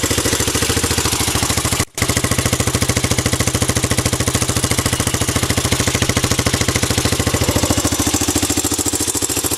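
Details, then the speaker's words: Honda ATC 200X three-wheeler, loud, started and revved a little. Crisp, even single-cylinder beat of about three and a half pops per second, no misses or knocks: healthy running. "This thing sounds like a beast."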